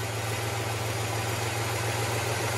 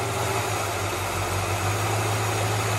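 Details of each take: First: 1967 Impala carbureted V8 idling with a low, even rumble while brake cleaner is sprayed on the bottom gasket. The idle holds steady, so there is no leak there; the leak is at the gasket above the riser. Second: 1967 Impala V8 idling while brake cleaner is sprayed around the carburetor: steady low burble swells slightly when spray hits the leak; vacuum leak found at the upper gasket above the carburetor riser, bottom gasket fine.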